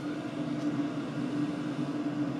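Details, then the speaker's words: 2024 WIPPRO 8 kW diesel heater six minutes in at full capacity with all six stages lit. Steady airy rush and even fan hum, no pump clicking or ticking; running normally at full output. "but one thing you don't hear is it's not clicking there's no ticking noise it's just it's just the fans and I can deal with the"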